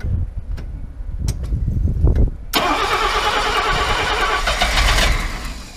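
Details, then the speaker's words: Mercedes W114 freshened engine, first start after reconnecting fuel pump wire: cranks, catches, runs unevenly with wavering note; good oil pressure, no funny noises but running badly, timing not yet checked. "It's sort of running. Water's running, it's got good oil pressure. Yeah. It's not making any funny noises, but it's just running like shit."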